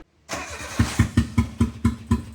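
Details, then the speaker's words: Autozam AZ-1 being rescued after running unhappily, just started, kicking up dust; heavy uneven chuffing about four pulses a second with no smooth idle, sounds horrible, rough running, cause unknown. "look at that dust oh my God that sounds horrible"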